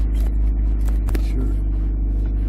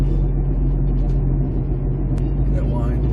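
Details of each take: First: 2008 Jeep Compass after front passenger wheel bearing replacement, test drive: low road rumble with no hum or grinding rising with speed; muffler vibrating on trailer hitch noted separately; quiet, healthy wheel bearing. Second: 2008 Jeep Compass, front passenger wheel bearing: steady low humming drone under road noise while driving, quieting when turning takes load off the bearing; earlier bearing-nut tightening only helped briefly; worn wheel bearing hum before replacement.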